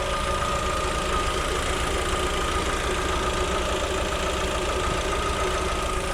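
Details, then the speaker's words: New 2021 Lada Vesta idling, recorded under the hood with the adsorber disconnected from the strut: smooth, steady hum with no knocking or rattling. Engine sounds normal. "В общем, шум двигателя замерили. Все отлично, все прекрасно."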